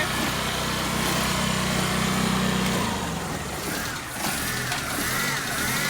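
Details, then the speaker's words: Old car with a dead battery, just started after charging the battery at home: engine catches and settles into a steady idle over outdoor noise without stalling, so the start worked. "അപ്പോൾ നമ്മൾ വണ്ടി start ചെയ്യാൻ പോവാന്നേ. വണ്ടി സ്റ്റാർട്ടായി."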